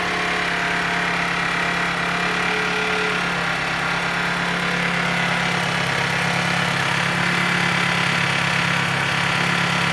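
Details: Honda CR-V engine at idle: steady, fast, even tapping of roughly four knocks a second over the engine note. An engine knock at idle.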